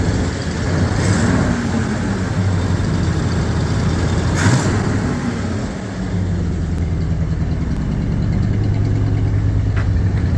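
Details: Ford Bronco after carburetor rebuild and fuel system reassembly, heard from the back: steady low V8 rumble, smooth even idle, brief rise in revs, no misses or knocking; normal running.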